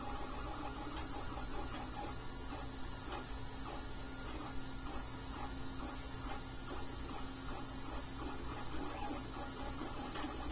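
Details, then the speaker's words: JG Aurora A5 3D printer, newly assembled, printing: a low steady motor hum with soft regular stepping ticks and no grinding or skipping. Quieter than expected; normal operation. "You can hear it's actually pretty quiet. The printer's not nearly as noisy as I thought it would be."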